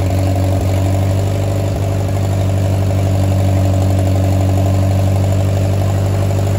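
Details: Oliver 550 tractor, first start in a reported 30+ years after ignition and starter rebuild, choked, to be run only seconds with no water pump belt: steady low drone, smooth even pulse about four a second, no misses or knocks; healthy idle, runs like a top.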